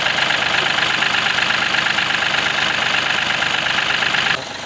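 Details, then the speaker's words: Mahindra TUV300 diesel at idle with a fast, regular plasticky buzz from the driver side, like something loose. A pipe under the bonnet was touching something; pulling the pipe slightly aside stopped the rattle. "तो जो main problem है वो है यह वाली pipe इसको ये पता नहीं कहां इसकी तरफ टच हो रही है तो इसको हम स्लाइटली सा इधर कर देते तो आवाज चली"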